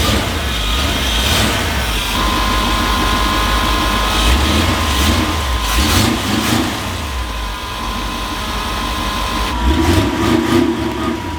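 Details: Jeep after mounting an electric fuel pump feeding a return-type filter to the carburetor, power temporarily from a fuse: engine catches and keeps running, revs rising and falling unevenly with throttle blips.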